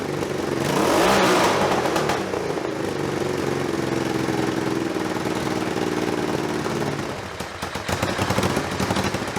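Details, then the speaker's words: Scrambler exhaust checked with a decibel meter: bike blips and settles with a ragged, crackly exhaust and a few light pops on the overrun, about 85–90 dB; popping reduced from before but still pops when revved. "yeah when i was 85 decibels and 90 without no popping okay so and that didn't pop as much as before no it didn't so i think but the problem is it pops when you rev it and unfortunately when you ride a bike you rev it"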